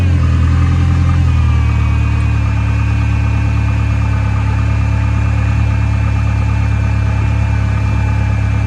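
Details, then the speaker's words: 2.8 truck engine after new spark plugs fitted: smooth, even idle with a steady low hum and no misses or knocks; runs much smoother than before, running cleanly on all cylinders. "sound that's more like it better runs better than what it did that's runs a lot smoother with the plugs in it"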